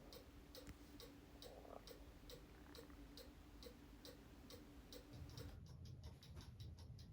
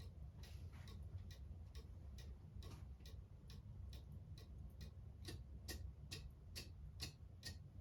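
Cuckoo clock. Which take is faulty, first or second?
first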